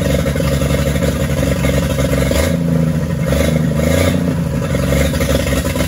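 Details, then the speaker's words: 1942 Chevrolet G506 truck engine after revival, first run in place on 12-volt power: steady fast idle held high on choke (won't idle without it, idle won't come down, mixture screw no effect), swelling with blips; healthy, no knocking. Water pump weeping. "that was with it you know kind of on a high idle with the choke but uh it doesn't sound all that bad and you bring up the rpms bring them back down she sounds good and healthy no knocking no anything"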